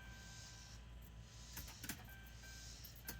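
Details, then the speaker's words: 2012 Dodge Durango 3.6 L V6, microphone on floor near the fuel tank, key on, engine off: quiet steady electric hum with light clicks; normal fuel pump priming, during oil pressure sensor diagnosis (P0522, gauge reading 96 psi engine off). "You hear all that? That's the sound of the fuel pump priming, getting ready to pump."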